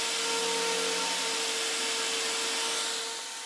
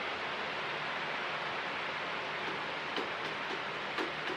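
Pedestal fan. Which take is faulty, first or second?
second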